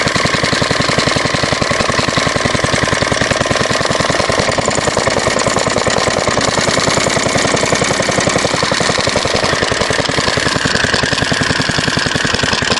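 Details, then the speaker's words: Believed 1938 Fairbanks Morse ZD engine, rated 1500 rpm flywheel, needing a mixture needle replacement and not fully tuned: rapid, uneven, hunting firing, running too fast and misfiring erratically; cause suspected, not confirmed. "this one is run a little too fast usually R's a little slower than this and it jumps around with that cheap little"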